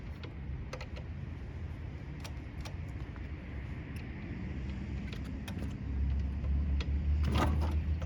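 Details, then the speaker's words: Yamaha YSR 50 two-stroke cold start with choke after months unused, new crank seals, rebuilt front brake and new 6V battery; low uneven popping that picks up and grows louder as it catches and settles; healthy cold start. "And the bike runs super good, usually starts right on first kick, and we're about to fire it up for the first time in a few months."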